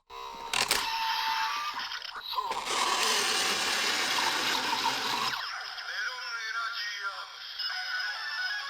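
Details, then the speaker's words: Kamen Rider Gaim DX Genesis Driver toy belt: loud, rough gearbox whirring for a few seconds as the handle is cranked in, then stops; gearbox to be removed to fix the noise. "And yeah, so today I'm going to be modding this driver and removing the gearbox in here that's making the obnoxiously loud whirring sound."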